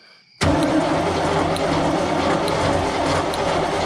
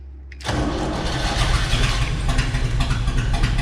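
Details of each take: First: 1976 Chevrolet K20 Scottsdale 4x4, sitting about 20 years, spark confirmed: sluggish, labored six-second crank that never catches; turning too slowly to fire, possibly high compression, a bad starter, a bad connection or a weak battery, unconfirmed. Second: 1976 Chevrolet K20 Scottsdale 3/4-ton 4x4, started for the first time in about 20 years: the starter turns briefly and the V8 catches at once into a deep, steady, slightly lumpy idle. Normal start.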